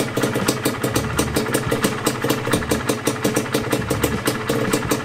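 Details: Yamaha DT125 two-stroke, warm idle after a top-end rebuild with the piston slap gone: a quick, even tinny rattle of about four or five clicks a second over a steady idle. The rattle is from the rear monoshock spring.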